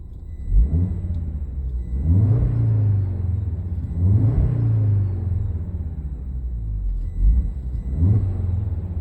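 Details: Audi TT RS with the engine warm, heard in the cabin while revving: a faint thin whine that rises and falls with RPM, like electrical interference. It began after a bumpy road and is now intermittent; owner wonders about a short, grounding, fan or turbo.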